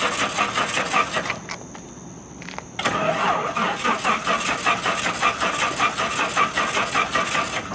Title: plane won't start